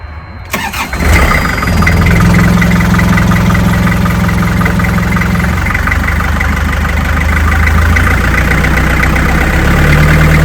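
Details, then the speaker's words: Canal boat diesel engine after repair, restarted: catches after a brief crank and settles to a slightly wavering, uneven idle; a little air can be heard still in the fuel system. "Yeah, you can hear the air. There's a little bit of air doing this."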